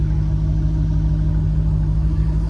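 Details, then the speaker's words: GM 1989-92 V8 car fitted with fourth-generation Bosch injectors replacing failure-prone grey Multec injectors; deep crisp even engine beat, no skips or misses; normal idle after injector upgrade. "now listen how crisp this car is and that's the difference in these injectors"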